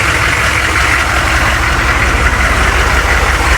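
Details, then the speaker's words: Humvee diesel idling after both stainless exhaust bolts were tightened to stop an exhaust rattle: steady, even idle with low clatter and no loose metallic rattle; exhaust now secure, rattling noise gone. "So I just backed it out. I didn't hear that noise, that rattling noise."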